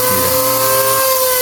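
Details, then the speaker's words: Oster auto-reversible blender after control board repair, running without blade at second speed: smooth even high motor hum, steady pitch, no sparking, no crackle or grinding; normal run. "Y escucha, amigos, la segunda velocidad. No hay chispas."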